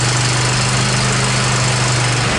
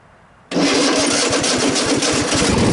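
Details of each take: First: Cub Cadet XT1 46-inch riding mower, formerly a no-start that barely cranked, after starter and throttle cable replacement: the engine fires and runs steadily and evenly with no misses. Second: Cub Cadet XT1 46-inch riding mower, battery at 12.76 V and climbing: slow, labouring crank with uneven chugs for about two seconds before the engine catches; weak starter suspected, voltage drop test to follow.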